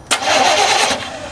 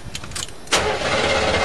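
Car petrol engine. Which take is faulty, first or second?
first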